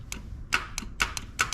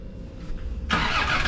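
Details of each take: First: Land Rover Discovery 2 Td5 that won't start: with 12 V fed directly past the relay, sharp repeated starter clicks and little cranking; gummed-up starter contacts suspected, to be cleaned with the starter in place. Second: Land Rover Discovery 2 Td5 that only clicked instead of starting, first start after starter motor repair: quiet, then the engine catches straight away and settles into a steady even run; clean first-try start.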